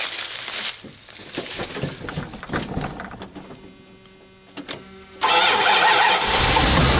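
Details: Van with dead, tired battery after sitting, jump started with NOCO Genius Boost GB30 on a cold 30-degree morning, engine cold; several seconds of uneven cranking, then it catches and settles into a steady, even idle.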